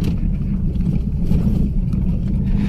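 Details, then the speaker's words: Mazda2 test-driven on rough road after replacing the broken rear suspension rubber stopper that caused clunking: steady low road rumble with no clunks or knocks from the rear; quiet rear suspension. "Kayaknya sudah aman ini cash nggak ada suara berisik lagi ya"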